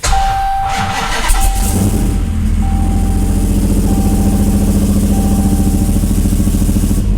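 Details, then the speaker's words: 1968 Dodge Charger with Hellcat V8 swap, started with foot on brake via fixed brake switch, low on fuel, exhaust still clearing; starter whirs briefly, catches at once and settles into even, steady idle over a faint chime: normal start and idle. "But she fires right up."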